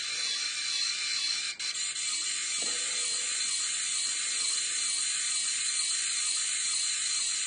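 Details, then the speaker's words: Brushless DC motor (FIT0441) driving a homemade worm-drive rudder servo gearbox at 12 V, held off the table that was amplifying it. Steady high buzzing whine with fine ratcheting grit: gearbox sounds strained, cause unconfirmed. "but my view is that the gearbox is sounding as if it's under strain um let me just lift it off the table the table is amplifying that sound"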